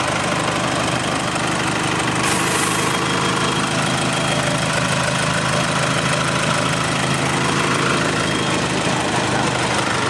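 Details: 2009 Nissan Navara 4-door pickup, 2.5 diesel, 6-speed manual: steady diesel idle with the usual even clatter and no irregular knocks, misses or hunting; a healthy idle.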